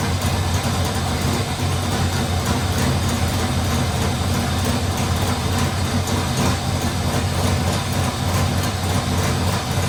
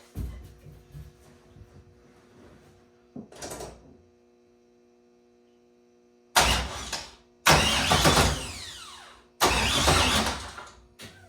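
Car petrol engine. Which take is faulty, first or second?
second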